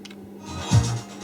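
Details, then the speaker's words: 1980s Marantz PM-45 amplifier after the unstable, motorboating phono stage was repaired and the conductive glue cleaned off: a quiet room, then one soft low thump from the speaker protection relay when switching modes. Speaker relay click showing DC offset. "we just turn it over so you can hear sorry hear that click that shows there's signs of DC offset on the amplifier"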